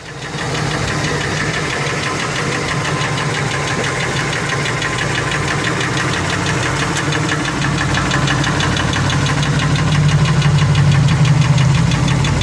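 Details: Ford F150 4.6 two-valve V8 at idle with a deep, regular knock about three per second; first thought lash adjusters but ruled out, rod bearings suspected, owner also wonders if it comes from the clutch.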